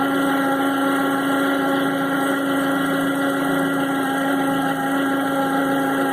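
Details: 2009 Toyota RAV4 at idle, Denso 210-0722 alternator: steady high whine near 280 Hz with fainter overtones; owner suspects failing alternator internals (diodes, brushes), not confirmed.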